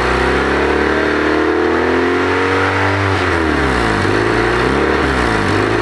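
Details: Honda engine revving: raspy, puffing edge on the exhaust note as revs climb and drop, like gas escaping before the muffler; exhaust leak suspected, not confirmed.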